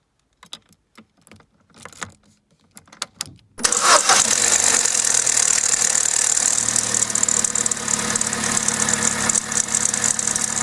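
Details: Vauxhall/Opel A14XER 1.4 petrol inline-four, cold start: cranks, catches, then a dry metallic timing chain rattle; a garage called it normal, but two weeks later the chain jumped a tooth and the engine ran rough.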